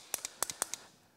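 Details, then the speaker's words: Brand-new starter solenoid for a 2007 Honda TRX400X ATV, tested off the machine: six sharp, crisp metallic clicks in quick pairs over about a second as contacts close; a healthy solenoid click. "y lo que esto está haciendo actualmente es iniciando un juego de contactos que hace que estos dos puntos se junten ahí adentro pues se lo escuchaste hacer clic y todavía no activo el motor de arranque eso probablemente significa que tienes un motor de arranque dañado"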